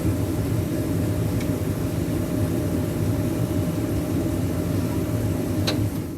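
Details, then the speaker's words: AIDBAY 12L 23kW natural gas tankless water heater, wall-mounted with rubber padding behind the plate to dampen vibration: smoke evacuation blower runs with a steady, even whoosh and low hum, no rattle or buzz; running normally and quietly. "to isolate the vibrations to limit the amount of vibration so we put that on the back of the plate prior to screwing it to the wall that way it would dampen the noise and it did and it did a fantastic job"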